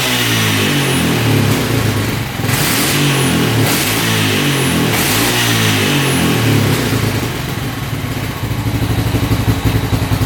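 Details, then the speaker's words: 1998 Honda Foreman 450 ATV that cranked but wouldn't run, after the carb was cleaned, the pilot jet raised from 45 to 48 and the air screw set 3 turns out. Repeated clean blips rise and fall quickly and it revs out fully without stumbling. "So that revs out completely now."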